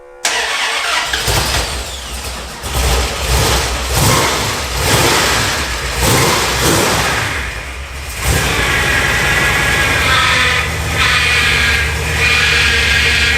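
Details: First start after work on an abandoned 1971 Mopar Satellite with fresh high-zinc 20W-50 oil: cranks and catches, then a lumpy, stumbling idle that sounds like it is missing a cylinder or two, though oil pressure is good.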